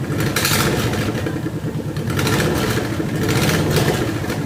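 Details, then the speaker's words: Subaru 2.5RS coupe started after cleaning: loud raspy start-up and revving with a sharp ticking puff on the exhaust note from a bad header exhaust leak; owner plans to replace the header. "so you want to hear how bad the exhaust leak is in this thing you really get to understand why I want to change the header out it's loud"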